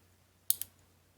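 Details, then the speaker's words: EVO9 fuel injector on the bench during cleaning, pulsed from a 12 V jump starter: sharp, crisp clicks, two close together then one more, each time power is applied. Injector opening normally. "so like every time every time your injector sprays something there's a click like that"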